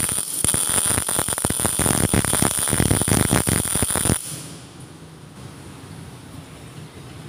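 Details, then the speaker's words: GMAW MIG welding at 17.8 V and 4.2 m/min wire feed: harsh, irregular crackling arc with stuttering pops for about four seconds; wire feed too high, reduced to 4.0 m/min. "Oke, di sini terlihat hasil pengelasan itu masih terlalu banyak penggunaan wire-nya, sehingga kita boleh kecilkan."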